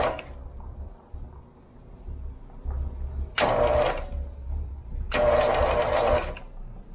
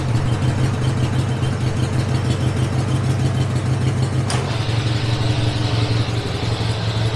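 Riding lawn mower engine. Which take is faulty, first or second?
first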